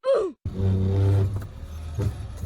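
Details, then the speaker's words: BMW E36 after a Chase Bays power steering install, on a test drive: a low, steady droning groan while turning left, with steering getting very heavy; owner suspects a leak or air in the lines and may retighten them. "I noticed when I turn to the left, it makes a weird noise. It's like it gets really hard to turn. So I think there's a leak, like an air"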